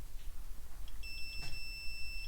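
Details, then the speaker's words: Range Rover Evoque engine control unit damaged in an accident, cover bent a capacitor: multimeter continuity test across its terminals gives a steady high beep, zero ohms; short circuit. "you can hear that is a short circuit I have zero zero ohms here and zero ohms here"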